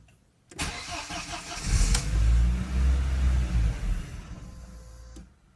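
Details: 2004 Audi A4 B6 1.8 cranks, catches and runs rough for a few seconds, then sags and dies; misfiring and stalling with check engine light after a new radiator installation, cause not yet found.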